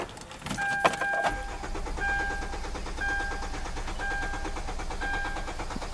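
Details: 2010 Hyundai Sonata no-start: brief cranking, then catches into rough run on starting fluid sprayed into air intake, pointing to missing fuel from failed fuel pump.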